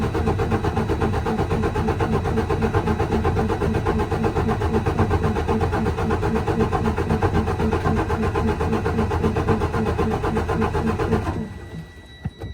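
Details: 2012–2013 Freightliner Cascadia DD13 with low boost and fault SPN 2631 FMI 1, compression-test cranking after a valve adjustment: steady, even cranking at about four pulses a second for eleven seconds. Results were 98/100/92/99/100/97%, much improved; an intake manifold leak remains.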